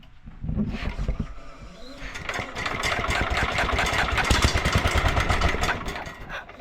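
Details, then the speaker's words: 1967 Sears Suburban 10 single-cylinder after restoration, the day after chasing vacuum leaks: catches and settles into a fairly even putter with no stumbling or surging; now running properly. "so it runs pretty good happy with it the way it's running now"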